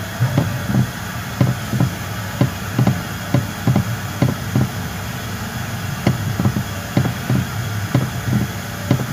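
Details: 2019 Toyota Rush steering wheel worked side to side: irregular hollow clunks about twice a second from under the steering column, also heard over speed bumps, with wheel shake and pull on the highway; suspension checked fine, cause loose column bolt and bushing.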